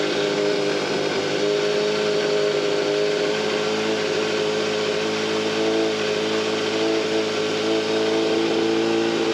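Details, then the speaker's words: Yamaha FZR 600 Genesis inline-four after checking the automatic timing chain tensioner: steady high-revving note with a fine metallic rattle on top, seemingly quieter but still present, source unclear; suspected noisy timing chain not confirmed. "it doesn't sound as loud but it's not cool you feel it yeah it's hard to say it doesn't sound as loud it's hard to distinguish where the noise is actually coming from"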